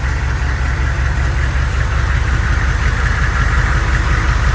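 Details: Humvee diesel driven after both loose bolts were tightened, checking whether an earlier noise returns; heavy diesel clatter steady and even at about three beats a second, no rattle on take-off: normal running, no rattle.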